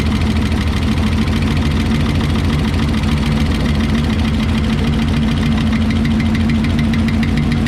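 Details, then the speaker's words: 1968 Lincoln Continental 462 V8 idling after an oil change to Rotella diesel oil, oil topped up to full: fast, uneven light ticking from the top end, probably the lifters, over the rumble; valve train tick still present at idle. "let's see if the ticking subsides if it doesn't we'll take that valve cover back off and take another look at it"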